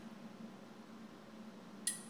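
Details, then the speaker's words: Old boiler's steam pressure control, used for comparison with a Honeywell L404F-1367 Pressuretrol: quiet room hum, then one crisp single click at 1.5 psi shutoff after almost a minute. It switches cleanly, with no chatter. "alright listen for the clicks pound-and-a-half shut off almost a minute"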